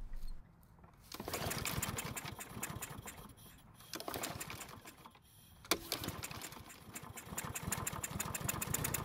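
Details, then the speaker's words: Mower that won't start after storage without stabilizer, primed with fuel from a chemical bottle: catches in ragged bursts, dies back twice, then settles into steady uneven chatter and keeps running; owner first suspected the auto choke, but the flap is closed. "foreign so it started but it took off rather slowly but once it got going it stayed running without any help from me"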